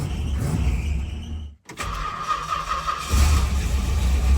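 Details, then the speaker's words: 1964 Chrysler Newport with a dialed-in points ignition: engine catches almost instantly without turning over once, then settles into a steady, even idle; a crisp, healthy start. "When you've got a points ignition system dialed, it starts like this. The engine doesn't even turn over once."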